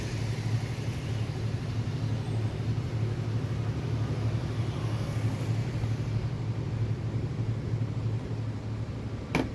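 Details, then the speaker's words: Whirlpool top-load washing machine that was very loud during spin, after bearing replacement: steady, even low hum through the spin with no knocking, rumbling or grinding; new bearings running quiet and healthy. "ശേഷം നമ്മൾ bearing മാറ്റിയതിനു ശേഷമുള്ള sound ആണിത് അത്യാവശ്യം നല്ല രീതിയിൽ മാറ്റമുണ്ട്"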